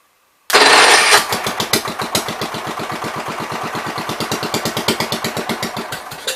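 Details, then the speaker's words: 1973 John Deere 110 single-cylinder after carb cleaning: steady slightly lumpy fast idle, running rich; owner says gas seems to run straight through the carb and suspects the needle. "I gotta figure out what is going on with that carburetor, because it seems like the gas is running straight through it, which is opposite of what I had when I started"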